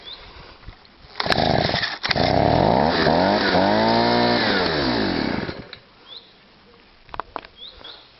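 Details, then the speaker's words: Stihl SH/BG 85 two-stroke leaf blower that wouldn't start or rev and pumped fuel out the exhaust: it revs up, then sags and labours when held open because a loose choke linkage is pulled onto choke. "Right, I don't know if you see that then, but what's happening is the choke linkage is loose. So when you rev it, it sucks it over on the choke."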